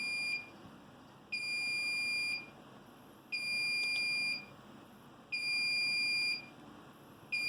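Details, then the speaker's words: Home server with LSI RAID controller after failed drive replaced, before rebuild started: shrill two-tone beep about one second on, one second off, repeating steadily; RAID degraded array alarm. "And as you can hear, the alarm is once again going off. But, uh, that makes sense since I have not yet told it to rebuild itself."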